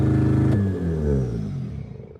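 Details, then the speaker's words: BMW E36 M42 turbo, first start on Microsquirt standalone ECU, out of gear: catches and screams near 2,500 rpm, then pitch sags; idle far too high because idle control was not yet set up. "Which I didn't even pay attention to, honestly. It's screaming at 2,500 first startup."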